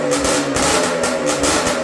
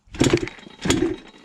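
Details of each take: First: Yamaha Blaster two-stroke ATV with minor porting, pipe and jetting, after swapping the stator and flywheel from another Blaster to cure a no-rev problem: crisp revs rise and fall cleanly, no misfires; running healthy. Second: Ported Yamaha Blaster two-stroke ATV with pipe and rejetting, after a loud noise while riding: two quick kicks, each a brief rasping spin dying without catching; won't fire because flywheel worked loose, no red Loctite on shaft.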